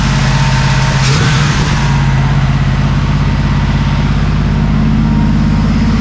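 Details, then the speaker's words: 1979 Camaro Z28 carbureted V8 after carburetor rebuild, return line cut: after a quick rev it holds a fast, busy idle that needs turning down. Idle speed set too high. "Get just that idle down just a little bit."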